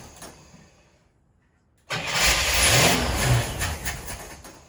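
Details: Car cranks with an even rhythm of about two turns per second but never catches; spark confirmed at coil and plug 1 (other plugs unchecked), fuel seems present then exhausted while cranking. Cause suspected, not confirmed.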